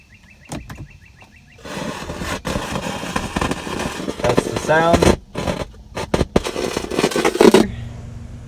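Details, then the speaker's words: BMW E90 car stereo: the speakers crackle, hiss and cut out while the radio rises and falls in volume. "if you've ever heard like the cracking noise your speakers aren't working your radios going up and down in volume I will put an example of it here"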